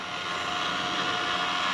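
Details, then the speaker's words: Flooded, abandoned Honda S2000 convertible top motor, replacement unit, run in reverse: even steady electric whir, quiet with no grinding or screeching, unlike the dying rat-like original; normal motor operation. "and in Reverse nice and quiet no crazy grinding noises no screaming no screeching I think we're going to have a convertible tub that's working"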